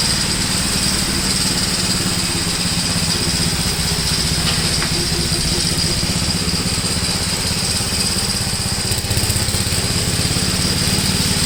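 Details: 1962 Gravely L/LI walk-behind tractor, single-cylinder, mowing a field after valve adjustment and carburetor tuning, with low compression readings: steady, even thumping under load, no misses or knocks; pulls acceptably, valve adjustment improved running.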